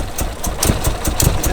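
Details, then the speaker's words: Turbocharged Mitsubishi 4G15 Lancer with fuel pressure turned up on the regulator; engine ran too rich, fouling week-old spark plugs. Uneven idle with irregular thumps and stumbles a few times a second; misfiring. "I was being greedy and we ran this engine too rich and it caused the plugs to not work properly"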